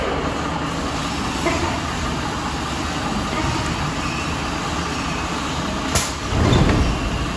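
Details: MAN TGM truck, D0836 LFL diesel, brought in smoking and misfiring; engine removed, rebuilt, and refitted with stand-tested injectors. After the rebuild it idles with a steady, even clatter, no missing or knock; normal idle.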